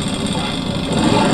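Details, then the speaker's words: Motorcycle running after a seized piston, with the damaged piston and cylinder not replaced. Revved engine gives a coarse, uneven, gravelly roar instead of a clean sound: rough running from the damaged cylinder. "nah ini motor sudah hidup tapi dari segi suara ini ini agak kasar ada kasar ya maklumah masalahnya seker sama silinder kan jadi satu ini tak PSA tak paksa untuk bergerak"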